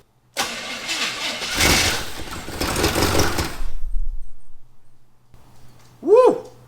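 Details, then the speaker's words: 1974 Chevy Camaro 400, abandoned 24 years, cranks and fires with a deep V8 rumble for about three seconds, then dies. The fuel line is off, so it is fuel-starved; owner thinks the timing is way off. "i feel like the timing's gonna be way off i don't know why just sounds horrible"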